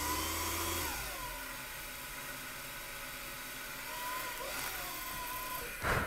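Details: Rotary dynamotor converting 12 V DC to about 180 V DC, under load with input current rising from about 1.5 A to 13 A: steady whirring hum with an even whine holding speed; normal running under load.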